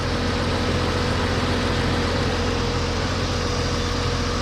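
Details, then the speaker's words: 1991 Jeep Cherokee Briarwood just started after sitting several years, new fuel tank, pump, filter and fresh gas: left idling, steady even low rumble, no knocks, misses or surging, oil pressure present; normal idle. "she hadn't run in a long time we just started so smart thing to do here just to let her idle for a little bit"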